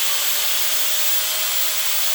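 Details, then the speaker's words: DeWalt DWE4120 angle grinder revived with new motor brushes, after break-in bumps: steady high-pitched motor whine at full speed, even note with no clicking or surging; runs smoothly. "And then when it sounds like those little clickety clicks are going away, run at full speed for a few seconds and check operation one last thing."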